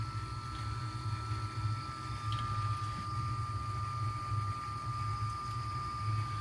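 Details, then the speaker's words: Home hot-water boiler during autumn pre-winter check, heating downstairs zone: constant low hum with soft steady water rush, no gurgling or banging; normal circulation flow. "can you hear it you hear the water move it too so I think we're good to go"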